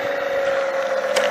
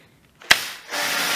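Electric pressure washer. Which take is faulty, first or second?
first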